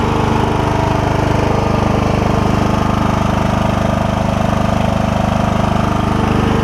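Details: Troy-Bilt Super Bronco lawn tractor, Kohler Courage single-cylinder, test run after JB Weld repair of cracked block: steady, even beat at constant speed with no knocks or misses; running smoothly.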